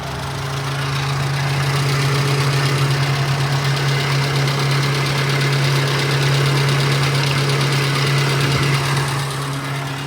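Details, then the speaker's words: Nissan Be-1, MA10ET 1.0L 4-cylinder, warm, after new spark plugs and ignition wires (cap and rotor not yet done): steady, even idle with no misses or knocks; starts much better than before. "Oh man, that started up a lot better."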